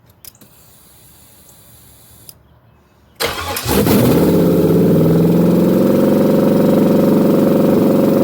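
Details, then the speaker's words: Junkyard-parts LS-swapped Chevrolet box Chevy on first start: catches after cranking and settles into a fast, even idle that stays high and never drops; throttle not stuck, cause of the high idle unknown. "I don't know why it was idling so high, y'all, but I did see it starting to run."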